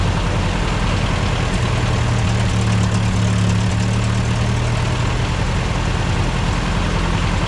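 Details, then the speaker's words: Old tractor: steady, even low-rumble idle with no misses or knocks; it previously died whenever given throttle. "so now that it's sounded nice idle it I'm going to mess around with the car and see if I can get it to get the high idle"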